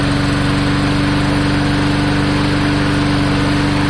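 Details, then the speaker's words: Free old lawn mower, repaired cheaply with new governor spring, non-adjustable carburetor: single-cylinder putters at steady fairly low governed speed with even beat; speed could be raised by tensioning spring or bending bracket; normal running. "on off switch ports on those carburetors there's absolutely no adjustment so you can't do anything the only thing that you could potentially do is give the governor spring that we just installed a little bit more tension"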